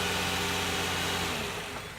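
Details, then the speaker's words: Car after battery repair (battery was connected improperly and drained, so it wouldn't start): smooth, even idle with steady hum and no knocks or misses, tapering off at shutdown; starts and runs fine, fixed. "right so he's turning it off how we know it's gonna start the vehicles good we fixed the issue"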